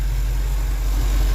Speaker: alright guys i got the timing advanced and as you can tell she sounds much smoother let's go see what it's like right at the exhaust she sounds much better now even even up here